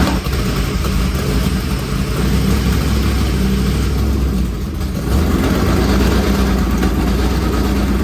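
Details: Dad-built carbureted V8 on a borrowed carburettor, with headers: loud, lumpy idle with a strong low rumble and a few throttle blips, settling clean with no faults; normal running.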